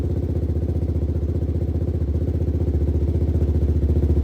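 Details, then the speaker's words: 2006 Suzuki LTZ400 on its first start after carb cleaning and rejetting, with an aftermarket pipe, fresh gas, choke off and the engine ice cold. It catches immediately to an even single-cylinder thump, revving cleanly and smoothly. Runs healthy. "Wow. Just like that. It's ice cold too. I haven't even touched this thing. Ice cold. Perfect. Beautiful."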